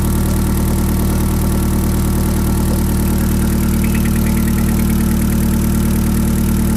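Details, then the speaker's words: YB Cosworth turbo-powered Mk1 Ford Escort idling at 1,000 rpm after fuel leak repair, first start in 5 weeks, oil still cold, good oil pressure, no boost; smooth even idle with steady low hum, no ticking or misfire, no leaks. "Okay, that sounds pretty sweet. And I've got no leaks."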